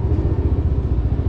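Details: Yamaha NMAX Turbo scooter started right after engine oil and gear oil change and oil-life reset, in sports mode: even low single-cylinder putter at steady idle with no rattle, tick or stumble; healthy.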